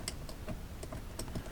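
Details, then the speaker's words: 2004 Cadillac Escalade EXT, rear passenger door power window: irregular sharp clicks each switch press with no motor hum, window not moving from either switch; likely bad window motor. "I hear it clicking, but it's not moving. What's that all about?"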